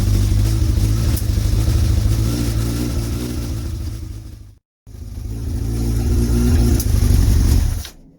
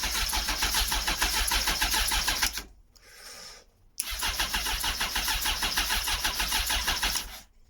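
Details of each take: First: Motorcycle (Bandit sticker fitted), now running after a struggling start. Deep, fairly even engine run with throttle blips, briefly cutting out and picking back up; it starts and sounds okay: normal running. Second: Motorcycle not started in a long time, choke on, clutch held in: fast steady starter chatter about three pulses a second, two cranking bursts, engine never catches; battery possibly drained, cause unconfirmed.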